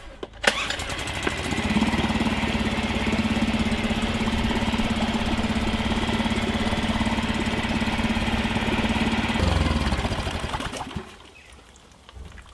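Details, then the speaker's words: Suzuki 2.5 outboard back in the garage being flushed out after its carburettor was cleaned ultrasonically to fix idle problems: catches quickly, holds a steady buzzing run with a constant tone, then shuts off cleanly; running normally. "here we are back in the garage the motors now being flushed out as you can see it works really well"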